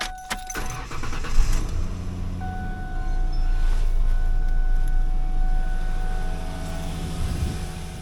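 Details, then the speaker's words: 2007 Ford Ranger 3.0L with A/C, starting and settling to a steady, even idle with no belt squeak after replacing the idler pulley and reinstalling the original serpentine belt. "it sounds decent enough at regular Idol sounds dead silent from inside the car the real test is going to be moving it down the road a little bit well I don't hear the uh belt squeak anymore"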